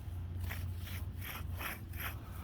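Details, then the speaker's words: 2007 Chevy Avalanche 4x4 hub turned by hand with the caliper off: gritty scraping rasps about twice a second from a worn sealed hub bearing. It also causes grinding and humming while driving. "t listen hear it in there just grinding and you can't feel it but in my hand it's like so it's a sealed inside bearing"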